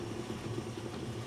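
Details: 1941 Chevy truck, 350ci small-block V8, first start after Accusump install with cylinder bled to about 10 psi air, oil pressure building: low steady rumble, even beat, no knocks or ticks; normal smooth idle.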